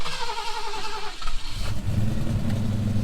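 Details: V8 reversing up a hill; the gearbox is fine. A deep rumble bogs and labours as load comes on instead of pulling cleanly. The engine is struggling under load and needs tuning (plugs, timing).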